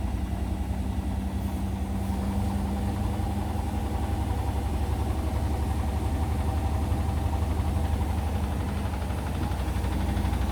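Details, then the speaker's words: Indesit washing machine, towel load on Daily Quick 60, final spin up to 1000 rpm; deep, uneven rumble and loose thumping throb, whole machine and floor shaking, extremely unbalanced load; possible bearing clicking heard afterward. "that's getting very unbalanced now won't be surprises such starts starting to come down the washer not much brilliant balance look how the watch is shaking that's mad"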